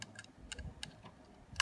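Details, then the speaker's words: Hard disk clicking on power-up: sharp dry clicks every quarter to half second over a faint whir as the platter spins; the read head is stuck and can't return, so it keeps striking. "ഈ clicking sound വരുന്നത് ഇതിങ്ങനെ അടിക്കുന്നതുകൊണ്ടാണ്. ഇത് കണ്ടോ, ഇവിടെ ഈ സ്റ്റക്കായി നിൽക്കുകൊണ്ട് ഹെഡറിന് തിരിച്ചു പോകാൻ പറ്റുന്നില്ല, അതുകൊണ്ടാണ് ആ ക്ലിക്കിംഗ് സൗണ്ട് വരുന്നത്."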